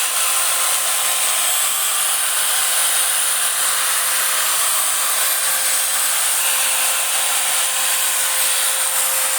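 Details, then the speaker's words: Kikoki (Hitachi-equivalent) angle grinder after repair for growling then stopping: runs free with smooth steady high whine and hiss, no sparking. "oke saudara berhasil sempurna tidak ada saksikan bunga api dan halus suara mesinnya"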